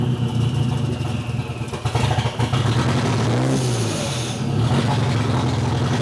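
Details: Nissan CA18DET with open downpipe, half-warm restart about 2 hours after driving: idle stumbles and surges with a brief rev, misfiring and wanting to stall. It improves when warm, idling at 800 rpm but still with a miss. Plugs are gapped correctly; no ECU codes.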